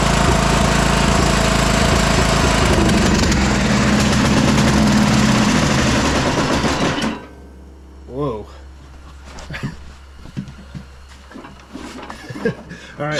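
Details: 2004 MTD Yard Machines Gold lawn tractor engine after sitting weeks or months: slow, labored cranking at about four turns a second that never catches, then cuts out. Fuel flooded into the engine, partly hydrolocking it.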